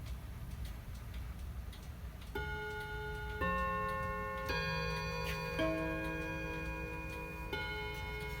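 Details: Hammond electromechanical mantel clock after servicing, running unplugged with the mainsprings needing a bit of winding. Steady light ticking runs under clear, sustained bell tones in sequence, so the chime and movement are working cleanly.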